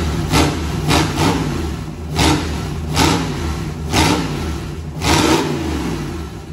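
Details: V8 turbo burnout-car build, first start before turbo fitted, no alternator belt: five crisp rev blips about a second apart dropping back to a steady lumpy idle; pulls cleanly, running normally.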